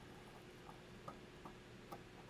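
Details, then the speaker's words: Bellanca landing gear down spring in a quiet room: four light uneven clicks as spring coils pass the end of the inner housing; should be lubricated (LubriPlate) to slide past. "um that's the spring coils going past the end of the housing and and in my mind that ought to have some lubrication in it to help it slide past"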